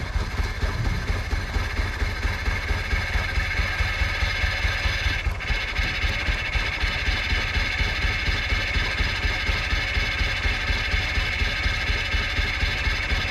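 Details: 1998 Jeep Wrangler 2.5 manual after long storage, started on a borrowed battery: lumpy uneven idle, loose irregular beat about twice a second, struggling to stay lit, needs starter fluid; owner suspects fuel pump.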